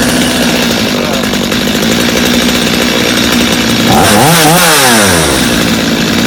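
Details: Customer's Stihl chainsaw after reassembly, original Bosch spark plug, started from full choke; crisp even two-stroke buzz climbing cleanly when revved and settling back without stumbling; idle a little high but otherwise healthy, little carb adjustment needed.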